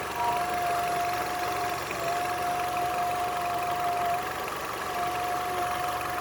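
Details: Nissan Altima engine fully warmed up at idle: thin steady whistle cutting in and out for a second or two at a time; collapsed PCV hose causing the whistle.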